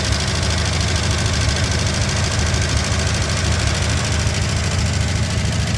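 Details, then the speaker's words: Barn-find 1963 Ford Galaxie 500 convertible, 289 V8, first start in 30 years on primer: rough loud idle with fast even tick; valve train noise, owner hopes lifters just stuck and may add automatic transmission fluid to free them. "got a little train noise I might see if I can run a little automatic transmission fluid or something to free up those hopefully that's just stuck"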